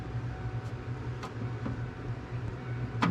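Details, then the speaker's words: Fox body Mustang on a cold start with open headers: a few sharp single clicks at uneven intervals over a low hum, never turning over. The starter solenoid is suspected of not grounding, with a loose mount bolt that may be stripped. "that's not tight i bet that solenoid's not grounding it might not be"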